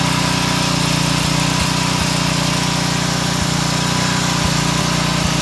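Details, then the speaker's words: Pressure washer engine running on vegetable oil instead of motor oil, warmed up after a few minutes, with no smoke: a steady, even drone at governed full throttle with no knocking or surging, sounding smoother. "does she not sound like she's running smoother i i think the vegetable oil is like starting to marinate all the engine components starting to sound really good now"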